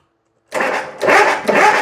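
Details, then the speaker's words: Bobcat zero-turn mower with new ignition switch and starter solenoid, electrical faults being traced: two or three rough bursts of cranking, engine bumping over but never picking up speed; turns over, no start, plenty of gas in right-hand tank. "All right, so turns over, no start"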